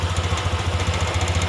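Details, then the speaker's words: Honda Beat ESP injection scooter with the idle air screw opened further: steady, fast, throbbing high idle with an even pulse and no dips, caused by too much air entering the combustion chamber, an air leak. "gimana kalau kita menambahnya lebih 1-4 Utara untuk menaikkan RPM di media langsamnya kencang karena terlalu banyaknya udara masuk"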